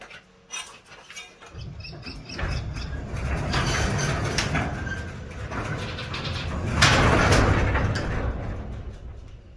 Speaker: all right if your garage is squeaking you actually need to add some lube to these areas on your door